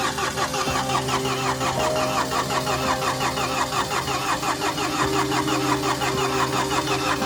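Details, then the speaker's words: Mini Countryman after timing chain replacement (engine had been out of time from broken chain guide), cranked with no fuel: steady even cranking with regular compression beats, no snap or valve clatter; turns freely, won't fire. "look first have to crank it because obviously there's no fuel in there but the question is is it going to crank correctly are we going to hear the chain snap are we going to hear the vales kiss the Pistons none of the above"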